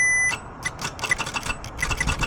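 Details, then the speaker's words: Mitsubishi Evo X towed in with no-crank after owner replaced broken key antenna, starter triggered manually via starter relay with power probe: sharp irregular clicks over high beeps, no cranking; suspected bad starter or bad ground, unconfirmed. "So, obviously the starter is clicking, but it's not turning over. So, I think that's actually a bad starter is what I'm thinking."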